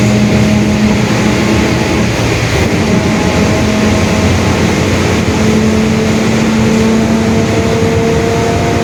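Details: 2021 Marcopolo Torino S bus on a Mercedes-Benz OF-1721 Bluetec 5 chassis, recorded onboard while driving: a low hum and a higher whine hold under the steady diesel drone, a growling differential.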